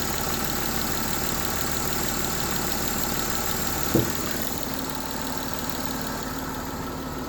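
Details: M272 engine at idle: a steady idle with a faint, quick tick of roughly three per second; a ticking noise at idle whose cause is unclear.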